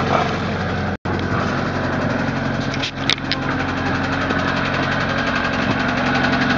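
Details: Westerbeke Four 60 15 HP diesel on a 33 ft Pearson sailboat, ambient about 75°F, hard starting: steady run with a light tap about four per second throughout; source unknown.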